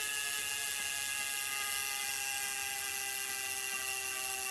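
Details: Wahoo Kickr v2 trainer after adding flywheel counterweight and adjusting tension: steady high whir of freewheeling flywheel, pitch easing slightly, only tiny vibrations, no wobble or thumping.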